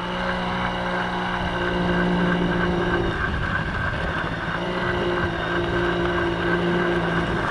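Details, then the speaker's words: 1980 Yamaha QT50 two-stroke moped on its test run after its first start in eight years and many new parts: steady buzzing hum with even pitch and a consistent beat. Runs good, nice and quiet, no issues. "yeah runs good definitely no issues so nice and quiet"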